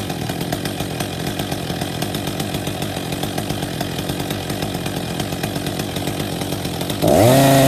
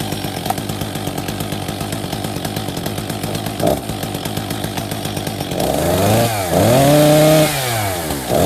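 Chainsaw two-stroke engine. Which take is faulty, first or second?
second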